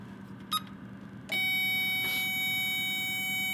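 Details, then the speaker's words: Power Probe 3 circuit tester, probe tip touching ground: after a click a sharp steady high beep with green light, a different tone from the power beep, indicating ground. "it's lit up green right here, green for ground, and it's making a different beep."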